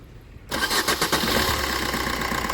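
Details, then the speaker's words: Suzuki Swift diesel started after its loose, stretched timing chain was fixed, with new oil, oil and air filters and coolant; it catches at once into an even, steady idle with no chain rattle or knock, a normal start and idle. "Okay start ആയിട്ടുണ്ട് നല്ല smooth sound ആയിട്ടുണ്ട് ആ ഒരു sound ആദ്യത്തെ sound എല്ലാം മാറിയിട്ടുണ്ട് എല്ലാ നോയ്സും മാറി പുതിയൊരു വാഹനം പോലെ ആയിട്ടുണ്ട്"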